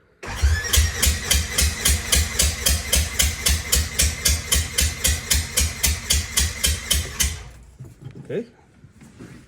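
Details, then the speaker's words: Polaris RZR XP 1000 compression test, cranking with throttle (gas pedal) held open after belt check, primary clutch clean and oil change: strong, even chuffs about 220 a minute, every stroke equally loud; left cylinder reads about 210 PSI, healthy compression. "That certainly sounds like it's got a lot of compression. Goodness."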